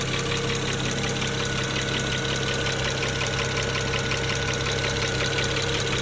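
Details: 2009 BMW 335xi N54 with all injectors replaced three years earlier (index 12), idling a bit rough with no codes: sharp steady ticking about three per second over the idle, different from the usual N54 tick; owner suspects a bad injector.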